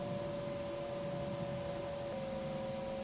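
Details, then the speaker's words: Startup of a newly installed diesel heater in a camper van: steady whirring fan with a constant tone that shifts slightly partway through as the glow plug fires and the fuel pump starts; a normal startup before warm air arrives. "Ready? Okay, it started. Glow plug is firing."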